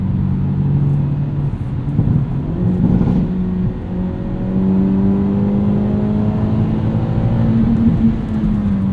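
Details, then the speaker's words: 2022 Hyundai Elantra N, 2.0 L four-cylinder, 276 hp, 6-speed manual, binaural in-car mics: revs climb then stutter against the cutoff in quick pulses, with pops and bangs; normal, fun rev limiter. "Even as a fun rev limiter."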